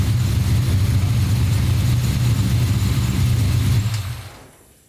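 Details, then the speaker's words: Small-block Chevy 350 V8 at idle: deep, steady knock about four times a second, then shut off; rod knock from the spun number 3 rod bearing. "I discovered that the number three rod had the bad bearing on it that's what was causing the knock in the engine"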